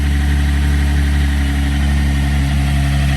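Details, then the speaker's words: Engine idling just after first start following a clean-out of sludge and crud: deep, even idle, steady low hum, slightly loud muffler, no knocks or misses; sounds like it runs good, normal idle. "all went together real good sounds like it runs good"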